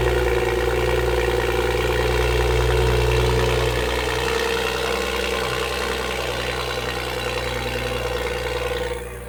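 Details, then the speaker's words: Toyota Supra (A90) first startup with new GTHAUS GTC exhaust, actuator valve not yet set up: deep burbling start-up settling into a steady, even idle with no knocks or rattles; normal cold start. "Guys, it's so different. Oh my gosh. That sounds crazy. He almost blew out his eardrums. Guys, the exhaust is crazy."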